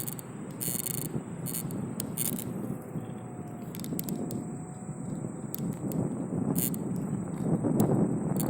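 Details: Ninebot F30E electric scooter at maximum speed: a dense, uneven rattle and vibrating buzz over road noise.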